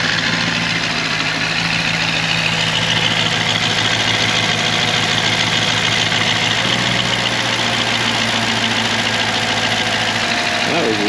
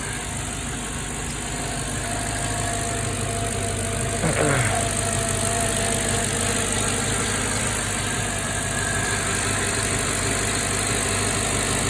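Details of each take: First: Freshly installed V8 started with the MAP sensor left unplugged: steady but uneven, lumpy idle with loose hiss; runs rough. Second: Mercedes AMG engine idling smoothly and evenly with no knock or stumble after installing the forgotten secondary air injection plates; sounds healthy, though a slight air leak was later suspected.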